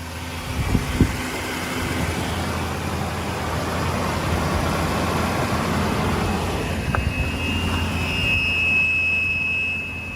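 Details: 2007 Ford F-150 5.4L V8, cold start after hours cold-soaked in winter: thin high howl rises over the engine at higher rpm until warm, from a failing alternator.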